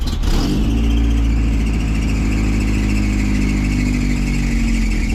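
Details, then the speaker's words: 1988 first-gen Toyota 4Runner with dual transfer cases, which usually needs three tries to start: it catches and settles into a steady low idle with a slight uneven lope. Rough idle; owner suspects a weak fuel pump. "Right, it doesn't idle good. I think the fuel pump's laying down. Seems like I always got to try to fire it up 3 times and then it works."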